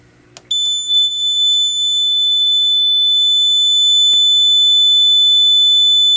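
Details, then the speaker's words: Fire alarm panel lamp test: after a click, one steady shrill electronic tone sounds without a break for about five to ten seconds, then panel returns to normal; sounder working properly. "st will last for about like five to ten seconds and then it will go back to alarm normal condition I mean the panel will go back to normal condition"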